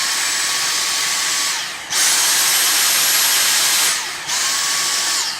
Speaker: So most of the time, you have it without the boost. It's only if something's particularly difficult or dirty, you have it with boost.